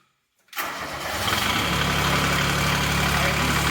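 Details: Restored Cub Cadet 782 diesel garden tractor at the end of the project; silence, then it catches at once and settles into an even, steady, smooth low-rumble idle with no knocks.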